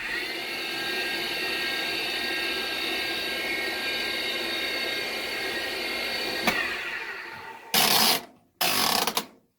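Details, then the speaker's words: Ariston stackable dryer motor (535) in an RV: a loud, steady high whine and rasp from worn motor bearings, echoed through the belt and drum; the replacement motor lasted one year, and the bearings are to be replaced. "what that is is to bearing inside the motor is making noise it's the belt ties to the drum inside the dryer and it actually echoes the noise"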